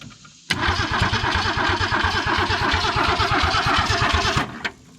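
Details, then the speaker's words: Abandoned 1966 Ford Mustang 200 six, carburetor dry, cranked after squirting a little gas down the carb. Steady cranking around three turns a second with scattered pops but no catch; fuel probably not yet pumped up. "oh she's already popping ready to go what i'll tell you good lord she ain't got gas up to here yet probably"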